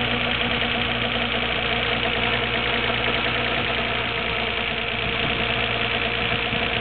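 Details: Nissan Skyline GT-R R33 at 86,800 km, water pump and timing belt recently replaced; first cold start of day, about a minute in a rolling "gurun-gurun" low uneven rumble lasts roughly a minute, then disappears once warm; cause unknown.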